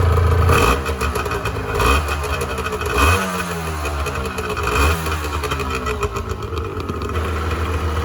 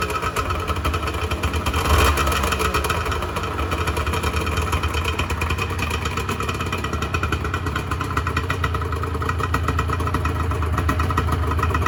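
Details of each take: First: 1986 Honda NS400R 400cc two-stroke triple after 11 months standing, run on choke to empty the carbs for storage: rich, blubbery revving that surges and sags unevenly every second or two as the carbs starve; running out of fuel. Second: 1986 Honda NS400R 400cc two-stroke triple shortly after first start in 11 months; crackles at a fast, raspy idle with a quick early blip, picks up cleanly; healthy, oil light on (owner suspects oil level sensor connection).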